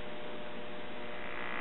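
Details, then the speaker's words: Late-1940s GE tube radio chassis, recapped, warmed up with volume fully down: a steady low hum with no station behind it. Cause: the filter capacitors' negative leads were wired to the chassis instead of circuit ground (B-). "that definitely sounds like a defective filter capacitor"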